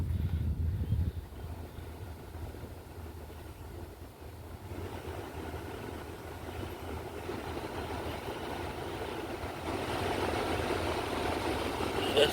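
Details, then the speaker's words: 2001-2007 Toyota Sequoia front blower after replacing motor and wheel, key on: soft, even airflow hush on low swelling gently to high with no ticking; blower sounds healthy, earlier ticking gone. "all right this is what it sounds like on high that's the lowest"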